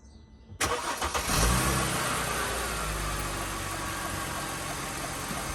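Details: Mercedes W204 after replacing the alternator belt tensioner to cure a belt squeak: engine fires and settles into a steady, even idle with no squeal or chirp from the belt; normal quiet idle.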